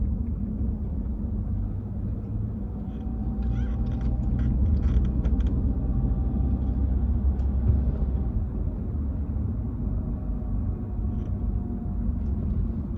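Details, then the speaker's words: Cruising: thin mid-pitched whine holding with road speed under steady road rumble, coming from the rear differential. "Anyway, look, it's a real whine. It's coming from the rear diff."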